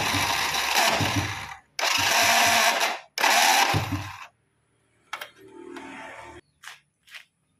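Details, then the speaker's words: Honda Supra Fit starter motor on a battery helped by a charger: three harsh, rough growling bursts because the worn, loose bushing lets the armature rub the magnets; thin shim plate added as the fix. "Tadi masih terdengar suara ngorok-ngorok ya. Ternyata untuk bagian bos-bosan di dalam sana itu sudah aus atau longgar terhadap as ini."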